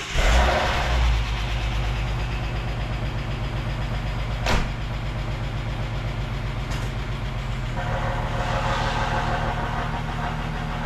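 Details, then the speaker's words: EF Ford Fairmont started in the shed: a rough, uneven low rumble with a blowing chuff and tinny exhaust rattles. The rusted centre-section mufflers seem to have lost their baffles, likely with a hole, and are due for replacement. "I don't know if you heard it when I started it in the shed. It feels and sounds like all the baffles have gone in the muffler"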